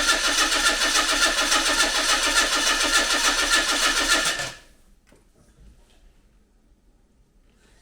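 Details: 1993 Mazda MX-5 with freshly serviced engine and automatic gearbox just reinstalled, cranked to build oil pressure; even steady cranking about three and a half beats a second, no knocks or catches; healthy turnover, not yet starting on the key.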